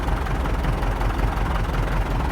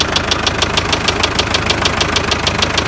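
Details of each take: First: MTZ tractor diesel after repair with new clutch and about 12 L fresh oil, cold: low, even idle with no tapping or knock. Oil pressure reads 4 cold; engine sounds healthy. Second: MTZ tractor diesel at idle, with a noise that appeared mid-trip and was driven about 20 km. Steady, sharp metallic knock about three times a second: rod bearing knock. Others suggested a cracked shaft; owner is unsure.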